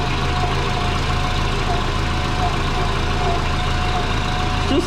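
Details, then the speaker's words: Twin-turbo Subaru with GT35 turbo, started after fixing leaks: soft rhythmic chuffing under a steady idle from an exhaust leak low down; owner suspects a flange not flat or the header-to-head joint. "like there's an exhaust lake down here somewhere yeah i can hear a chuffing going on"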